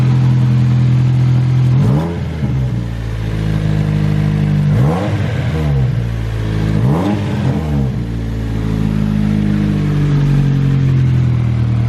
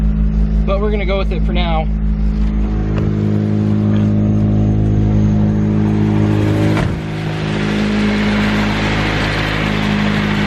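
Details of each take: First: Nissan 240SX S13 SR20DET drift car with a new 3-inch EMUSA eBay catback exhaust not yet fully tightened: deep, raspy note that blats and puffs on each rev blip. Exhaust leak from loose, unbolted pipe joints. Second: Nissan 240SX S13 SR20DET with a 3-inch EMUSA catback exhaust now fully bolted down: deep, steady drone through idle and a rev blip, with no ticking or puffing. Exhaust sealed, leak gone.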